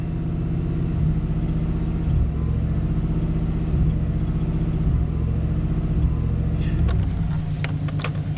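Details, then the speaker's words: Classic Chevy 5.7L with PCM PROM chip swapped, aftermarket exhaust manifolds: low V8 idle surging up and down about every second, a rhythmic ba-boom as mixture oscillates; owner suspects misplaced oxygen sensor, not confirmed. "You can even feel every time the mixture oscillates, it goes ba-boom, ba-boom, ba-boom. And you hear it."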